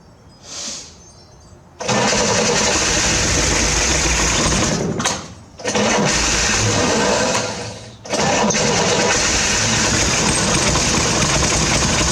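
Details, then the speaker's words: 1968 Chevrolet Corvair, carbs primed with gas: three long bursts of cranking with rough brief catches that never settle to idle, battery weakening; fires briefly but will not keep running, cause not confirmed. "So, I couldn't get it to run. I got it to crank. I got it to kind of bark off a couple times, but I wasn't able to get it to sustain sus"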